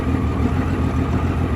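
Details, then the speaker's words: 1989 Honda Goldwing GL1500, 115 (thousand, unit unstated), fully warm, timing belts recently done and carburetor reportedly cleaned: deep idle lopes unevenly with irregular low thumps; also surges on highway, won't exceed 140-150 km/h, loses power on hills; rough idle, cause unknown. "The old 1989 GL 1500 has got a little something that's annoying me. It has a rough idle and it's kind of jumpy on the highway."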